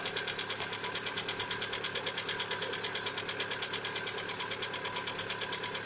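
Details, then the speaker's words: Lada Vesta, 70,000 km, cold start: steady even knock under a sharp tick, nearly two beats a second, lasting one to two minutes until warm; piston slap, not hydraulic lifters, appeared recently, oil changed to the same brand. "что стук поршней во многом отличается от щелчков гидрокомпенсаторов да да вы не ослышались и кто знающий подтвердят гидрокомпенсаторы они именно щелкают а поршни они перестукивая"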